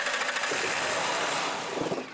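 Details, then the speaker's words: Mercury Sable that cranks but won't start, spark and compression present; after spraying cleaner into the throttle body it catches, runs roughly briefly and dies, pointing to a fuel delivery/fuel pressure problem, later diagnosed at the fuel pump. "you go this vehicle wants to run so clearly we've now defined that we've got fuel delivery fuel pressure problem we've got to solve"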